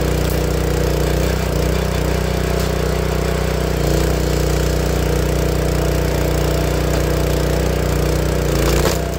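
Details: Honda GX160 single-cylinder log splitter engine, after spark plug replacement, running a steady, even chug at constant speed with no popping or coughing; earlier warm-up popping and stalling was traced to a failing spark plug. Normal running.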